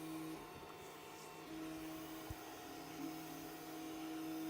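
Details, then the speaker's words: BIQU Hurakan Klipper bed-slinger 3D printer with TMC stepper drivers: quiet steady buzzing hum as the head moves, a weird buzzy sound from the X axis that seems to come from one side. "that was such a weird buzzing noise can everyone else hear that or is it just me that X just makes a weird Buzzy sound"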